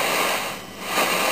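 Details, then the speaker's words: Zenith Trans-Oceanic Royal 3000-1, a 12-transistor solid-state portable from about 1965, on the AM broadcast band, turned all the way up where signals are strong: steady hiss only, no station, voice or tone. No reception, cause unknown. "so turn it up all the way normal noise but nothing not a thing it's like there's no tun there"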